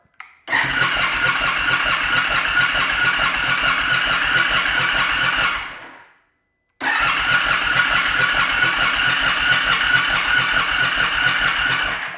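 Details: 2022 Indian Super Chief ABS motorcycle, crank-no-start: two five-second bursts of even starter cranking, about two beats a second, never catching; crankshaft position sensor fault made the ECM cut fuel pump priming and spark.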